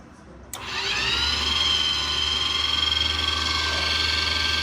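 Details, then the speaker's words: 45k BTU diesel-fired Webasto coolant heater in a skoolie bus, test run after plumbing and bleeding air from the coolant side: starts, then a steady fan whoosh over an even hum, blowing hot air normally. "So here's my switch for the Webasto. Let's turn that on. It turns on and starts circulating hot water, or circulating water."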